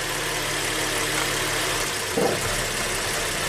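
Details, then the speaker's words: 2008 Suzuki XL7 (GM 3.6L V6), which runs poorly warm with suspected stretched timing chains, at idle with the bank 2 intake cam VVT solenoid grounded on and off: a steady idle that stumbles briefly at about two seconds. "Definitely has an effect."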